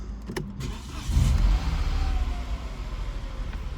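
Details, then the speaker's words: Peugeot 208 1.0/1.2 petrol, first start after replacing the fuel pump and fuel sender, checking for leaks: short crank, then catches cleanly and settles into a low, steady idle with no misses; normal engine start. "Whilst that's running, we're just going to check for leaks."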